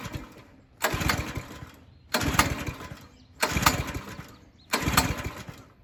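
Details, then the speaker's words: New DR Pro XL dual rotating tine rototiller with fresh gas and oil: four pull-start bursts about 1.3 seconds apart, each churning without firing. The engine won't start because a spring contacting the kill tab grounds the ignition. "I sat out there and tried to crank it for about, 20 minutes. And the whole time it wasn't cranking was because the spring was making contact with the kill tab."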